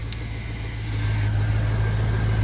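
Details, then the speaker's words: 1999 Chevy Silverado 1500 Z71 with 5.3 V8, just jump-started: even, steady smooth idle without the usual cold piston-rock tapping, no misses; healthy normal idle. "Hey, that thing sounds pretty dang smooth. It doesn't even have that typical 5.3 sound."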